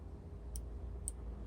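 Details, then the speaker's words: Throttle position switch on a removed throttle body gives two crisp, light clicks as the throttle is moved: continuity closed, none at mid throttle, continuity again near wide open; working normally. "so here's the switch from underneath and you can hear as soon as it as soon as I'm as soon as I move the throttle you can hear the switch clicking"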